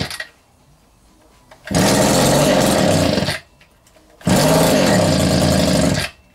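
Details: Vintage Echo two-stroke strimmer on its first run after reassembly: two short buzzy, ragged bursts that flutter and won't hold revs. Owner first suspects the carb; weak running from low compression.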